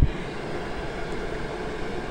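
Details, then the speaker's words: Chinese diesel heater trying to run on Jack Daniels (40% alcohol), which could not keep it lit: a steady low whir with no burner roar as it flames out and the fan runs on in shutdown mode to cool it. "it goes into its shut down mode the fan keeps going so that nothing overheats inside but it's gradually getting colder and colder"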